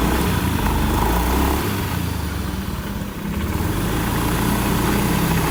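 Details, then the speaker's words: Honda Beat ESP K44 scooter after final drive gearbox overhaul, which previously droned badly: steady low engine drone with no howl or whine; gearbox now quiet and healthy. "Oke, coba kita nyalakan dulu dan kita cek untuk suara finishingnya."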